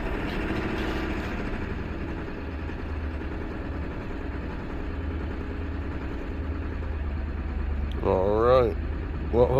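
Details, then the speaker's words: 1999 Ford F-250 7.3 Power Stroke diesel after repairs: steady, even diesel clatter at idle with no stumbling or dying out; runs smoothly and stays running. "it stays running all right so we've been running about 10 minutes now all right so now our ipr is real low which is good our injection pressure is 540 to 550. it's looking good"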